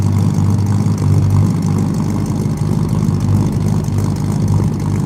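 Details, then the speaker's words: V8 with three carburetors and an Air Grabber, restarted after running out of fuel and refilling dry carburetors: deep, lumpy but even idle, about three pulses a second, no stumbles; back in business, normal idle. "there we go there we go okay we're back in business uh you know you know what it is to fill up three carburetors when they're dry when it runs out of fuel"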